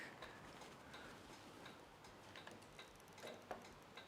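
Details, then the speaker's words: Key on, engine off, in the quiet cab of a 1954 Ford F600 on a 1995 Toyota Coaster bus chassis: crisp, regular indicator ticking at about two to three per second; the turn-signal flasher works normally. "We have headlights and high beams, and I can hear ticking of indicators. Oh yeah, we got indicators on the back. Yep, indicators are working."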